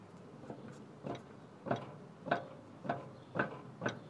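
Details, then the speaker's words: Land Cruiser 100 Series jacked up, driver-side wheel levered with a crowbar: sharp knocks about every 0.6 s show a worn lower ball joint with a lot of play and a torn boot; it needs replacement. "you can pretty much hear there pretty much just a lot of play on the driver's side and the boots pretty much uh toasted"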